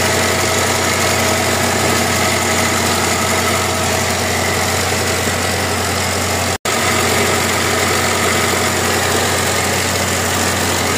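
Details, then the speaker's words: Mazda 323 at idle: steady running with a constant hiss and hum over the top. Belt noise persists even after the belt was replaced and repeatedly tightened. "Yan ang problema ni Siri. Yung ingay ng belt. Palit siya ng belt. Higpit siya ng higpit. Ganun pa rin."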